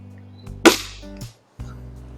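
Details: Beeman R10 / HW85 spring-piston air rifle after ARH Hornet kit tune, fired across a chronograph (about 852 vs 700 before); one sharp crack dying away quickly with no lingering twang or buzz; normal shot.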